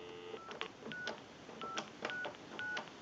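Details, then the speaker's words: Converted wood wall crank telephone, final checkout after repair, keypad dialing a number expected to be busy: crisp paired DTMF tones, about seven digits in three seconds, each clean and even; keypad dials properly. "Now we can call one other number. We'll call my number and it'll be busy."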